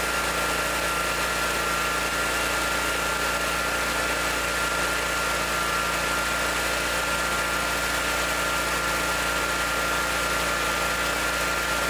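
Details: Ferris zero-turn mower after a new battery and fuel filter/hose work, started on choke: small engine holds a steady, even idle with no stumbling, misses or surging.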